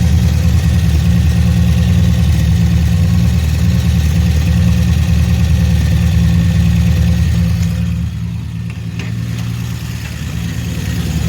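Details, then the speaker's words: 1966 Dodge Dart GT, Slant Six 225, barn find sitting since 1985, being restored: muffler fitted but no tailpipe yet; deep, even, loud idle rumble with little muffling, open exhaust sound. "Okay, so this is how the muffler sounds like."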